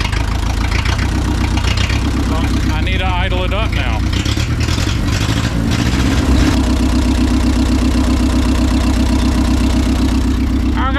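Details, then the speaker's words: Old neglected forklift, four-cylinder petrol engine with a reworked spring hook: low, lumpy idle. Idle speed is set too low; fixed by raising it at the carburetor's idle adjustment. "there's a little adjustment on the carburator to idle it up all I had to do was idle it up a little bit so it's idling it's doing good"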